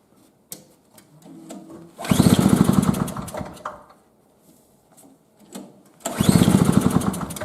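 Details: 2003 Murray single-stage snowblower with a small two-stroke that last ran five years ago and was reported leaking gas. It revs up to high revs twice, around two and six seconds, dropping back between bursts; the engine runs properly.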